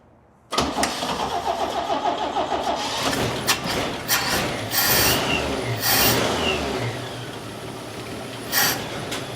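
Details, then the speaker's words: 1969 Chevy C10 half-ton long bed, carbureted, just revived after carburetor refitted and choke reconnected; fires after brief crank, catches cleanly and settles into steady idle, running good; normal idle. "Hold on. Try and put some more gas in this thing. >> Yeah. Look at that. Runs good."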